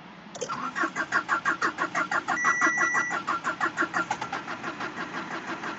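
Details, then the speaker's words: Renault Symbol with an engine rebuilt a month earlier: on a cold morning the starter cranks steadily for 18–20 seconds without catching, a long hard start. The owner suspects the fuel pump. "da sabah soğukken baktım yirmi saniye boya çalışmıyor arabada bulamadığımız İsveç var bir"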